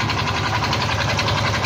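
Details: Yamaha Mio i 125 scooter with 2,641 on the odometer: rough idle with a quick, regular knock under the engine note. Another mechanic blamed the tensioner and others the magneto, but it is not the tensioner. Rod knock.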